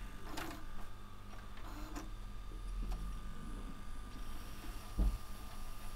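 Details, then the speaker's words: Sony DAV-D150G VHS deck on a second, clean tape, after the first tape would not rewind: steady spool whirring at an even pitch with light clicks; the tape rewinds normally, though the heads may still be dirty. "So yeah, that spool is working, where the other one wouldn't rewind it, but this one looks like it is."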